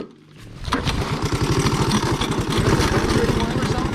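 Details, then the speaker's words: Big Red on the trail: quick pull-start chuffing around four per second that never settles into running; turns over but won't fire; owner plans to oil the recoil and straighten its spring; cause not confirmed. "When we get back, we'll pull that off and spray some oil down in there and then try to straighten that recoil spring up a bit."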